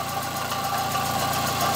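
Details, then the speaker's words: 2005 Fiat Palio 1.8 (phase 2) at idle, sound picked up with a hose stethoscope; steady high whirring over even idle with faint rough edge, diagnosed as a worn water pump bearing, replacement parts bought. "Bueno no sé si se pareció el sonido pero Ya chequé que es la bomba del agua"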